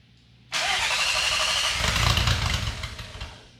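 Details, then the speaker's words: 2002.5 VW GTI VR6 6-speed front clip cut off the car, after adding extra grounds; catches at once and settles into a steady, even idle with no misses or knocks. Normal idle. "She's idling down good. It's not unhappy over there at all."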